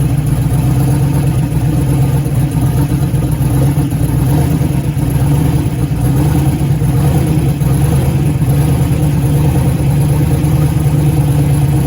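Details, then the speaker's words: 1956 vehicle's V8 at first start: a deep, uneven, lumpy beat with a misfire, stumbling and refusing to rev up cleanly. "when he first fired it up I'm sure you could hear the uh misfire that it kind of has an RPM um where it like literally just wouldn't RPM"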